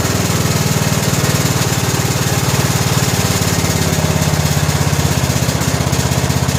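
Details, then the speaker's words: 17 HP Briggs & Stratton Intek overhead-valve engine on a 2000 Scotts lawn tractor built by John Deere, after fitting a new correctly gapped plug: smooth, fast steady thump, no pops, even speed; popping cured, runs good. "well what think guys I think we got it Run's good"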